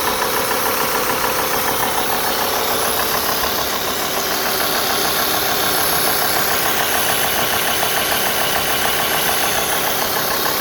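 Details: Alfa Romeo 2.4 JTDm diesel idling warm at 90°C water temperature, with a steady knock a bit over two per second over the engine note; knocking when warm, source unclear.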